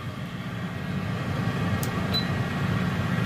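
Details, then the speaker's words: New Pampered Chef air fryer on its first initial test run, already heating, basket in place: steady, even fan whoosh over a low hum with one brief chirp and no rubbing or rattle; running normally. "so it automatically starts up again on its own so that's awesome okay so that's it it does you can hear the air there is a light as well"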